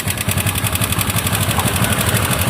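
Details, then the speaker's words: TVS Ntorq 125 scooter at idle with timing chain deliberately loosened to demonstrate the original fault: fast, even metallic rattle over the engine note, which disappears when revved. A worn timing chain caused it and was replaced. "तो friends कुछ इस तरीके से पहले sound आ रहा था, time chain ख़राब था इसलिए।"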